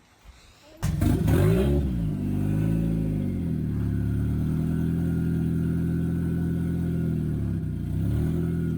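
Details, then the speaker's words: CA18DET-swapped Miata started after adding coolant and capping the brake booster vacuum line; catches after short crank, flares, settles to steady even idle, healthy, slight smoke burning off. "so we've actually got harder for the first time and it sounds sounds healthy sounds right little bit of smoke coming off over there but that's fine that's just burning off all the stuff"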